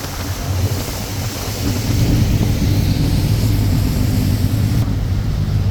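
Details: 1996 Sea-Doo Speedster boat cruising after MPEM module deleted and rewired without it; even, steady engine drone under wind and water splash, no misses or knocks; normal running.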